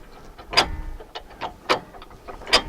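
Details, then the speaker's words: Jeep jack being lowered with the reversing lever down: sharp metallic clicks about once a second as the climbing pins pop in and out of the holes, with a second click on the downstroke; normal ratchet pin clicks. "that's perfect and you can hear you can see the pins popping in and out and hear the clicks and you hear the second click on the downstroke"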